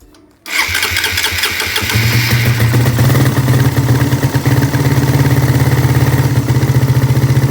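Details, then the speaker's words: Suzuki Satria FU carburetor motorcycle with automatic fuel tap fault that causes long cranking on morning starts, started fully cold: short crank, catches at once and settles to steady, slightly lumpy single-cylinder idle; normal cold start. "Ini keadaan mesin masih dingin ya, belum hidup sama sekali. Jadi kondisinya masih dingin ya. Coba kita starter."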